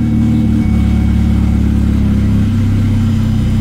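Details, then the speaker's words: Petrol car at idle on its first start after repairs, a low, slightly uneven beat that wavers in pitch, a mild stumble; it stumbles a little but has not stalled yet. "Tambalea un poquito, pero no se me ha apagado todavía."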